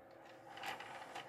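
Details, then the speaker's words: PlayStation 2 fat disc tray scrapes and grinds in short rasping bursts on opening; not a lubrication issue, the plastic tray is twisted and warped, fix attempted by shaving its sides. "and say it it opens and closes but like I said when it opens it grinds"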